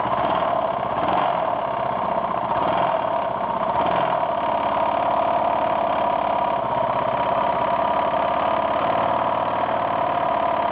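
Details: 1992 Yamaha XT600E (3TB) single-cylinder at idle: quick, regular light tapping on each beat; owner asks what the strange ticking noise is, cause not pinned down.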